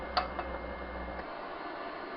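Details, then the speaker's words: Used Propex HeatSource HS2000 LPG campervan heater bench-tested after switch-off: the burner roar drops away, leaving an even fan whoosh as it runs its normal cool-down cycle to cool the electronics. "so if we turn this off it'll go into a cool down cycle so the fans will just keep circulating for I think it's 90 seconds to 2 minutes or"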